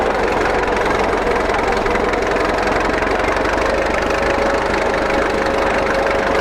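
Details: 1941 Caterpillar dozer, sat for a few years: loud, even diesel clatter at a steady idle with no misses or surging; it will only idle so far, more fuel needed once that stuff is cleaned out.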